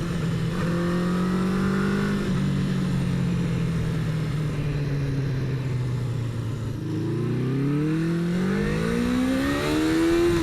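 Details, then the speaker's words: 1977 Honda CB400 Four on road, first ride after rebuild with new exhaust: note climbs and falls smoothly through gears, clean pickup, no misses or rattles; owner judges carb sync close, before CarbMate synchronisation; running normally. "man it just sounds so good I the sink has to be close because well it wouldn't it wouldn't run this good I mean it sounds good like I you can just hear when it's right"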